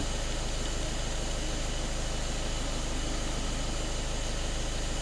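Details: VW Caddy 1.6 TDI diesel, manual, nearly 300,000 km: low, heavy idle with a steady throbbing pulse near two beats a second. The engine is choking because the throttle body is jammed closed (throttle fault plus high fuel pressure codes).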